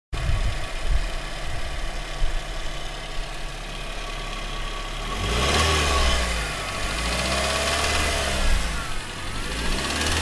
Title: Real spun bearing